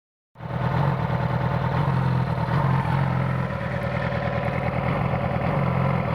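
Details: 2009 Yamaha R6 four-cylinder motorcycle idling with an uneven, stumbling pulse of a misfiring cylinder; owner suspects a bad ignition coil.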